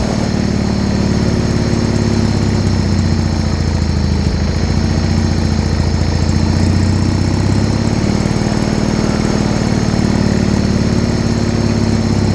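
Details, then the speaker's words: Original 1980 John Deere 317, first start after about three years unused, tank pressurized to feed the pump and carb, started with choke and a little throttle: settles into a steady, even low chug, no misses, knocks or hunting. Normal idle. "oh [Music] so she's finally started and idling"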